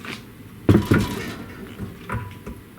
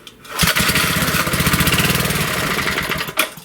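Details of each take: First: 1937 Briggs and Stratton Model A engine, long stored and not started: a couple of dull knocks as the flywheel is rocked by hand, with free play before each; play in the crankshaft, possibly a worn crank or bearing. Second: 1930s–40s Briggs & Stratton single (sold as a 1937 Model A, owner thinks possibly a Model B), not run since the last session, pulled: it catches and pops along evenly for a few seconds before cutting out; it starts and runs.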